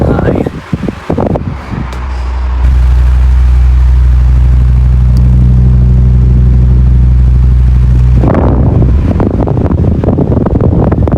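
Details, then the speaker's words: 16-inch Quality Superior pedestal fan after repair, on high speed; steady even low hum with no wobble, scraping or bearing squeal; running smoothly. "medium and finally high now it's spitting pretty fast L's a lot of air on"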